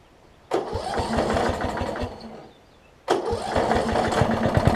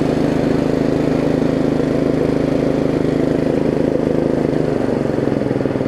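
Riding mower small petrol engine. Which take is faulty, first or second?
second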